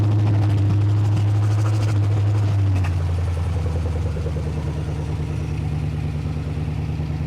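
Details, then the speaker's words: Ford Flathead V8, about 265 cu in, 4-inch stroke, four-barrel carburetor, freshly built on a run stand: steady, even low burble at idle with no knocks or misses, settling smoothly after a brief higher speed; healthy. "Wow. That sounds amazing. Very nice."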